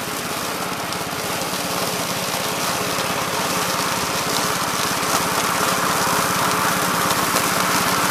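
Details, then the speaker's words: 1969 Gravely C8 tractor, morning run after no-high-range repair: steady, even single-cylinder putter about three and a half beats a second, no knocks or misses. Running healthy. "so so seems like it's working and running pretty good guys so uh i think we got this one licked"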